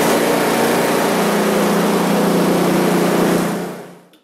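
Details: One-year-old Husqvarna ST224 snowblower, after the carb was cleaned of old fuel left in over winter. Started at full throttle with choke on, it holds a steady, even buzz, then winds down cleanly; running normally.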